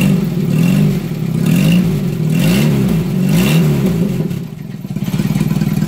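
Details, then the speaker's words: Renault 10 four-cylinder after warped head skimmed and new head gasket, mixture screw tweaked back in, no coolant added yet: revs rise and fall cleanly and settle to an even idle, running well; issue seems resolved. "And then it's just sort of tweaking it back towards my finger like that, tiny bit. And it's now, as you can hear, running pretty lovely."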